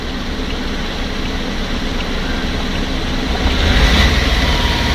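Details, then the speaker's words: BS6 diesel at 590 km after DEF/DPF error and no-start, restarted once wiring was properly rejoined and regeneration became available without a scanner: steady low diesel rumble with an even beat; normal idle. "चालू हो गया मेरा गाड़ी चालू हो गया अब स्कनर की जरूरत नहीं है"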